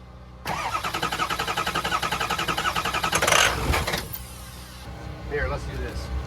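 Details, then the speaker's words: Diesel truck cranked with the key cycled to build oil pressure: fast chuffing crank, then it fires briefly with a ragged sputter and dies; owner suspects low fuel in the lines and drained high-pressure oil, not confirmed. "Key off. There's enough in the lines to fire at once."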